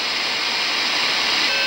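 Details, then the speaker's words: Arduino AM transmitter after capacitor distortion fix, heard on a radio: steady hiss then thin steady tones rising when no audio feeds it; carrier whine returning between audio, possibly from Arduino software, not confirmed. "finally started coming on again so I'm not sure what that is if it's the some with the software in the in the Audrina Audrina or whatever it it does something but once it receives the signal the that background though this kind of goes away"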